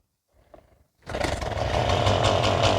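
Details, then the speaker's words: Stihl MS170 chainsaw, made March 2008, never serviced, owner complains it bogs under load: after a short pull it runs at a rough pulsing buzz, never clearing out; possibly not bogging but throttle not hooked up. "but I think the problem, as you can see, maybe it's not a matter of bogging down, maybe it's a matter of the throttle is not hooked up."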